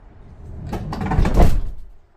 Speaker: So I'm gonna close it to test the sound. You see how tight the sound is, so there's no rattling.